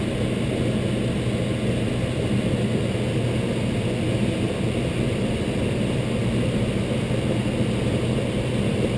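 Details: Intertherm electric furnace on a no-heat call (sequencer suspected), power on with thermostat at max: steady blower rush and low hum, heat strips burning off dust, legs drawing 19.8–21 amps after a click brings on the other strips; normal operation.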